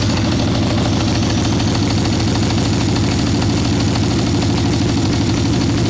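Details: Harley Ironhead Sportster chopper with Mikuni VM38 carb, cold day, idle circuit tuning, choke just turned off: deep, lumpy, uneven V-twin idle with heavy muffled beat, boggy; rich mixture, owner unsure it is only the carb.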